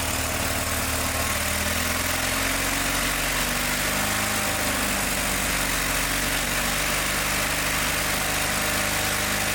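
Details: John Deere 318 lawn tractor runs with a rough, wavering beat, no crisp firing and no power, and it got hot fast; the points are barely opening and closing, so the gap is too small and the spark is weak.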